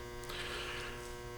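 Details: Workshop 400-watt metal halide lamps: steady electrical hum with a fine buzz on top, unchanging, from the ballasts, audible even through a directional shotgun microphone; being replaced with direct-wire T8 LED bulbs.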